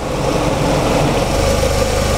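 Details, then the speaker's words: Ford Mustang, fully warm, idling with the radiator fan running, 24 hours after the lambda sensor was replaced to cure jerking, power loss and unstable idle: steady, even idle at a stable 800 rpm with no misses; fixed. "Ok, donc là le moteur est bien chaud, vous voyez il y a le ventilateur qui est en route, vous l'entendez aussi. Je vais monter les tours à 2000 tours."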